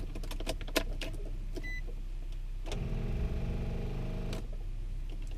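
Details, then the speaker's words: Car that won't start: a short weak starter whir for about two seconds with no firing, so the engine won't crank; owner suspects a dead battery, and it later started with a jumper pack. "it doesn't even want to crank it all I just heard the starter just going crazy"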